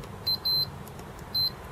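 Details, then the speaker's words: Acorn Archimedes A3010 board, multimeter continuity test around the diode and chip feeding 5 V to the VCC pin: three short high beeps in two seconds show a dead short at one point but not the other. "now the interesting thing is from there we've got Derek short but here we don't so it's a bit odd though actually equipped sure there but not there anyway I'm sure that's the problem"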